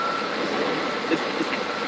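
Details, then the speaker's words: 2000 Dodge Caravan with overheating and a coolant drip below, engine bay at idle: steady airy hiss over a quiet idle with no knocking; owner later attributes it to a leaking EGR valve, unconfirmed. "you can actually hear a little bit of a a hissing sound inside my glorious engine as I'm working this thing here"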